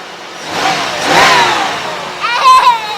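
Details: 1992 Pontiac Trans Am convertible with 350 TPI V8, just started and running; a couple of throttle blips rise and fall smoothly with no misses, knocks or rattles, healthy revving.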